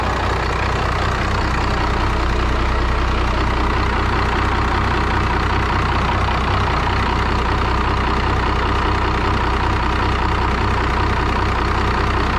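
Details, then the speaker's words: 5.9L Cummins diesel from an abandoned Dodge: even, regular diesel clatter at a steady idle with no misses or knocks, turbo audible; a smooth, healthy diesel idle. "smooth, ain't it? I mean, for a diesel, they're always kind of noisy and vibrate a lot anyways. turbo sounds good too."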